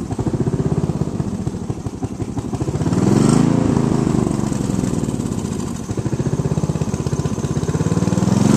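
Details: Sears Craftsman riding mower with a spare rebuilt carburetor fitted after the gunked original was removed: thump of about four beats a second that swells and sags unevenly; it only keeps running on choke, and the owner thinks another carburetor is needed.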